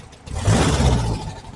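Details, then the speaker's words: 1968 VW Type 3 with original Bosch fuel injection, warm engine, timing thought slightly off: quick throttle blip rises then swells late and falls, lag after pedal; throttle hesitation. "It's really not that bad, but I don't like that delay."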